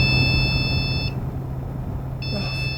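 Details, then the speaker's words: Supermicro C2SBC-Q motherboard powering on after a CMOS reset with no RAM installed: long steady high-pitched beeps about a second on, a second off over fan hum, the BIOS beep code for missing RAM. "I mean, this is, it's complaining about RAM. Of course there's no RAM."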